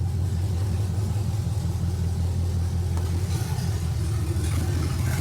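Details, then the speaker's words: 1972 Chevrolet C10 with newly installed replacement engine, fuel cell and harness, first start, open exhaust: deep, slightly uneven idle with occasional stumbles; suspected misfire, unconfirmed, temp gun check planned. "Still looks like it has a misfire to it though. I'm gonna have to grab the temp gun and see what I got."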